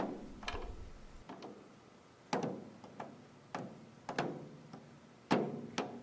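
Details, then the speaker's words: Drum tuning: irregular sharp pings and creaks as the tension rod is turned, head tension skipping because the drum head catches on the bearing edge, not a binding tension lug. "this is not caused by a tight tea lug that's binding this is caused by the drum head catching on the bearing Edge"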